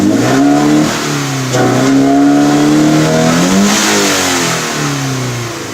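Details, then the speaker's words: Scion FR-S with an eBay intake, steady part throttle: revs climb, hang flat around 3,500–5,000 rpm for a moment, then pull up quickly again. Owner blames the eBay intake, not confirmed. "And yeah, so it stays in between 35 to 5,000 RPM for a second, but after it goes down, it revs up pretty quick."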